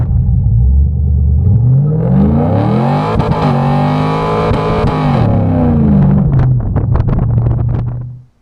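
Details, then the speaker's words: 2002 Camaro SS V8 during a burnout after replacing the universal joints: revs climb and fall under wheelspin with a rough drone under load; the noise persists, cause unknown, drivetrain noise. "as you can see guys it's still making that noise uh I have no idea what it is but uh replacing those universal joints never helped"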